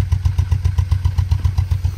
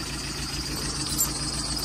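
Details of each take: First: Nissan Micra at idle, recorded at the exhaust, engine light on: uneven popping exhaust pulse; scan shows misfire on cylinder 3, coils to be swapped to diagnose. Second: VW after starter motor test: smooth, even idle with a low steady hum and no knocks, misses or grinding; normal idle.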